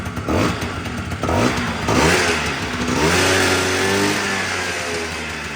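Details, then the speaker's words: Honda Dio 100cc two-stroke scooter, right after starter start on first start; revs up and hangs at a fast buzzy idle, owner says revs still high: high idle speed. "все одно обороти [оплески] великі"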